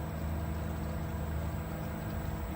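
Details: BLACK+DECKER 1.5 hp 220V variable-speed pool pump at a moderate setting: even low hum with steady tone, no knocks, rattles or grinding; normal running.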